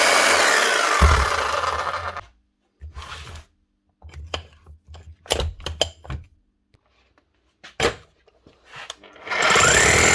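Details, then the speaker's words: Bosch GBH 8-45 D rotary hammer after cheap repair of failed needle bearing and fan: harsh hammering roar about two seconds, handling clunks, roars again with gritty gear rattle; worn gears and motor, still working. "she's noisy because the gears are worn with Radley but she's running she'll keep working for a good while yet"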